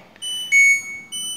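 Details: LG inverter washing machine showing an AE error: repeating pairs of high beeps, two short chirps roughly every second, on a quiet background, signalling a door lock (magnetic door switch) fault.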